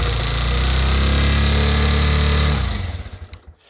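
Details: 2022 Honda CG 125L single, start on choke before valve clearance check: lumpy choked idle with a steady tapping about four times a second before it dies; valve train tapping, cause unconfirmed.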